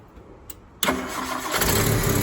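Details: Rover P4 80 restarted during a one-at-a-time ignition lead replacement, tested after a plug lead to check it is seated correctly; it catches at once and idles evenly with no stumble or missing beat, firing cleanly.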